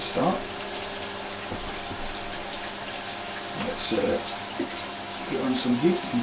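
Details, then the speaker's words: Mira Go electric shower, about 5 years old, after replacing the failed solenoid coil, started on low to purge air, then heat added: steady, even rush of water with no spluttering or air bursts; flowing cleanly and normally. "You can hear there's no air in that anymore. Okay, it's working. It's working great."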